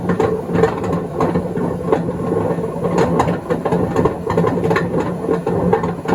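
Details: 2012 Beko WMD261 washing machine at high spin during spin and drain: loud rough rumbling racket with uneven knocking; failed drum bearings.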